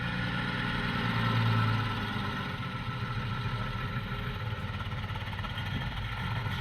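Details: Porsche 986 Boxster at idle before engine removal for IMS bearing replacement: engine idles unevenly, low rumble lumpy and irregular, misfiring; fuel starvation or other cause suspected, not confirmed.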